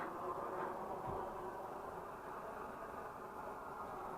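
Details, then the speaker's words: Swedish Optimus 8R camping stove after the cap seal was replaced and it was cleaned out, burning on a balcony boiling water; steady, full hissing roar with no sputtering or surging; normal burner roar. "Called roarers because they make that noise. Optimus stove. What a deal. Sucker is roaring away."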